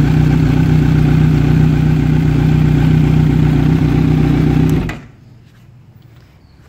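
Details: Kawasaki Z900 on side stand, recorded from left then right side of engine: steady, even low idle pulse about four beats a second with no cam or top-end ticking before shutoff; healthy quiet idle.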